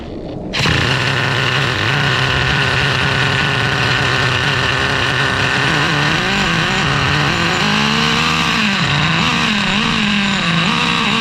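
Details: Traxxas Revo 3.3 nitro engine, newly fitted THS tuned pipe, a little cold, tuned very rich: screams at high revs then dips and wavers, lean bog after the shift to second gear.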